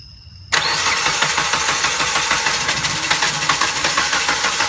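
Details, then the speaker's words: Fuel-injected car that won't start, brake cleaner sprayed into intake while cranking: silence, then engine catches and runs unevenly on the spray then dies; spark present, fuel delivery suspected (fuel pump or its signal). "so that lets me know that their sparks in the engine and this is uh this is brake cleaner highly flammable so this is what's burning so now we know that it is getting sparked but it's not getting fuel so it'll shut off like right now"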